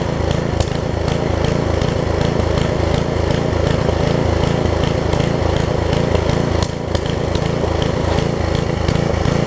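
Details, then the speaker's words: Craftsman 17-inch rear-tine tiller with 5hp horizontal Briggs engine, probably 1990s, test-tilling after a new carb diaphragm; chugs at a steady, slightly uneven beat and pulls fine. It runs and tills, but a tiny fuel leak remains at the diaphragm. "all right so it runs it tills I said I got a tiny tiny fuel leak right around the diaphragm here"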